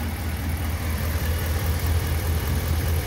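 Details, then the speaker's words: Ram 1500 5.7 Hemi after an oil change from 5W-20 to 5W-30 to address the Hemi tick: low, steady, even idle hum with no clatter or ticking; the V8 idles smoothly. "wow that's smooth and nice wow that's good wow I'm really happy with that"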